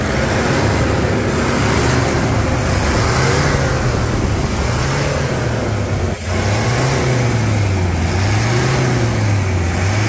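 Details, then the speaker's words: Toyota Hilux diesel revved in several throttle blips after brake work and about 159 km of testing; smooth, even note rising and falling cleanly, no knocks or rattles; normal healthy revving. "melodia acelera ali Samurai dá uma aceleradinha ali"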